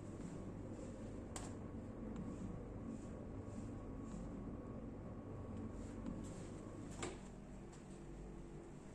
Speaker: nah cukup keras ya Bunyi dengannya